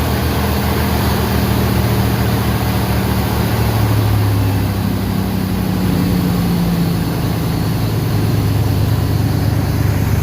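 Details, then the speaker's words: 1988 Ford F-150 XLT 5.0 302 V8 after new starter, battery cables, tune-up and retiming; deep, steady V8 idle, even beat, no misses or knocks, slight valve or spring ticking audible: healthy idle. "But let me go ahead and turn on the key and fire this old beast up. You can actually kind of hear the valves popping, or the springs."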